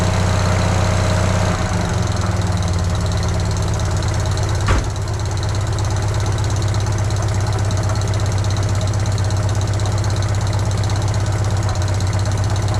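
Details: Fiat 500 idling after engine mount replacement: low, even idle with steady beat, no knocks or rattles; runs smoothly, though engine movement looked about the same as before.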